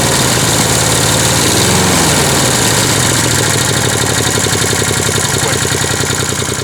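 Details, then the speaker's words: Refurbished Wolf PM-Quantum 35 mower, small single-cylinder fitted with a Toro muffler, mowing grass: loud, even buzz holding speed under load, no misfires or knocking; normal running under load. "Je suis étonné à quel point il tourne bien ce moteur."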